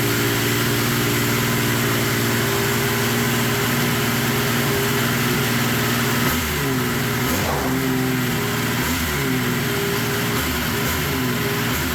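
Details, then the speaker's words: Yamaha triple swapped into a UTV after the old engine blew (suspected water pump and connecting rod damage), first start; owner thinks it resembles the YXZ engine. Fires up and holds a steady, even idle with one throttle blip midway. Normal idle. "hell yeah sounds good doesn't it sounds good"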